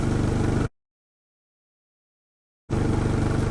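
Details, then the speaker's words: Rebuilt turbo project vehicle just after its first start in about 8–9 weeks: a low, even idle pulse at about three beats a second. The old-school aircon cuts in and out, so the idle is not fully steady. "She's alive. Don't worry. Just some major tidying to do."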